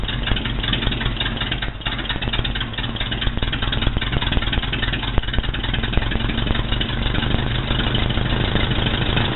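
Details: Rebuilt Ford Model B diamond-block four-cylinder (new pistons, rings, valves, head and pan gaskets) with exhaust plumbed outside: steady, even idle with a light regular tick and no misses or knocks; running healthy.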